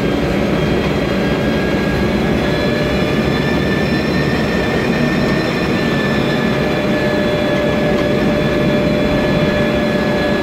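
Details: 2007 MAN Lion's Classic CNG city bus, MAN E2876 LUH03 EEV turbo engine, Voith DIWA 864.3 4-speed automatic, noisy Voith gearbox: thin steady whine above a loud even drivetrain rumble while cruising; transmission whine.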